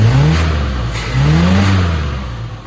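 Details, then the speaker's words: Squarebody after a little tuning: it picks up smoothly and falls back evenly with no stumble or popping. A clean rev at last, though it still pulls little vacuum. "Still not pulling much vacuum, but for what it is, and as far as I'm going with it, as good as it's gonna get as I'm concerned. But it has a clean rev finally."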